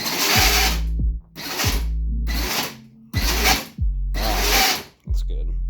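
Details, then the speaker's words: Power Wheels Dune Racer ride-on, dual drill battery upgrade, high gear, before brake reduction module install: five bursts of high motor whine, each cut off sharply with falling pitch as the pedal is released; harsh gearbox braking straining the gears. "And this will keep the quick braking from happening."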